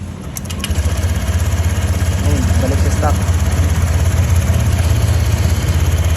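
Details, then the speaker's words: Honda Click V2 scooter, 64K on the odometer, idling after tensioner and cam replacement and valve clearance adjustment: steady even idle pulsing about three times a second, no top-end rattle or tick; back to stock sound. "Pinalitan natin ng tensioner, tapos cams kasi may tama na yung cams bearing na ito kanina. Tapos chinonap na natin valve clearance. Ito na yung moment of truth nya."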